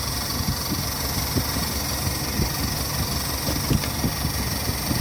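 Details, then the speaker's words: Toyota car with heavy missing, poor fuel economy, weak on hills, checked by pulling plug leads at idle: uneven shaky idle with irregular thumps and ticks, no change on cylinder three; dead cylinder from a fouled spark plug. "यह दोस्तों देखि engine vibrate नहीं कर रहा इसमें plug खराब है है ठीक है िक की आवाज तो आ रही है प्लग में जादा एक दो तीन तीन नंबर ये जो है दोस्तों इसका प्लग खराब है"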